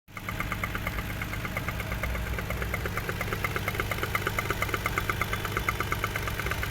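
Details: Toyota 1JZ-GE engine, next day: over a steady idle a sharp metallic tap about twice a second, even and persistent; engine knock, cause not determined.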